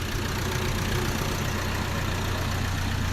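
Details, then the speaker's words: Isuzu D-Max 1.9 diesel with boost gauge and new exhaust, all intake hoses still stock, before fitting replacement intercooler pipes and an air flow kit; low steady diesel clatter with an even rhythm, nothing irregular. Normal idle. "แต่ผมจะให้ฟังเสียงก่อนนะครับเสียงเป็นยังไงตอนที่ตั้งหลังเปียกมาเป็นยังไงนะครับ"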